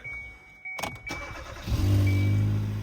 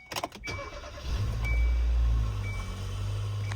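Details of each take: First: 2014 Kia Soul after catalytic converter replacement, exhaust pipe joined with a double U-bolt clamp: engine cranks, catches and idles low with a puffing exhaust note; exhaust leak at the clamped joint. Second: 2014 Kia Soul after replacing catalytic converters with welded and bolted exhaust: short crank, catches quickly, revs and settles into a smooth, quiet, even idle with no rattle or exhaust blowing; sounds much better than before.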